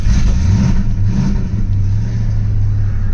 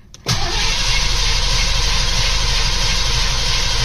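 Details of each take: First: Mustang first fire-up after winter storage and new spark plugs, coil wire refitted: low, uneven run with rpm sagging and surging as it struggles to learn idle, then stalls; good oil pressure afterward. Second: Mustang after winter storage and new spark plugs, oil pressure primed, one more crank before refitting the coil wire: strong, even cranking about three turns a second for nearly five seconds, no firing, catches or clunks; cranks healthy.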